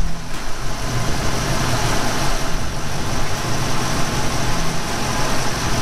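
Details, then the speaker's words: 1991 Ford Mustang GT convertible V8, idling in neutral after a repair at the clutch/bellhousing area, inspection dust cover off: steady, smooth low rumble with slight vibration. The earlier rattle is gone, normal idle. "slight vibration but holy dyna is that a lot better and no more noise"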